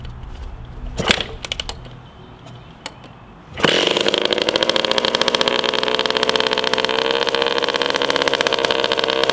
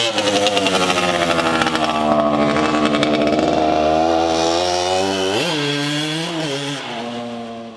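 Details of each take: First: 1981 Suzuki RM125X two-stroke garage find, first start after sitting, expansion chamber with a big hole fitted: fires after a few seconds, settles into a harsh, raspy, crackling buzz; exhaust leak from holed expansion chamber. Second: 1981 Suzuki RM125X two-stroke, a garage find, on its first run through the gears. A crisp rising buzz climbs cleanly and eases off with no misfire or bogging; it carbureted clean, got on the pipe and ran strong.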